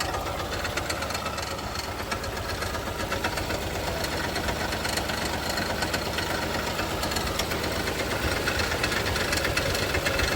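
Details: Toyota Kluger started cold after sitting for just over four years; it fires right up but idles unevenly, with an irregular stumble and knock under the low rumble: misfire, cause not confirmed.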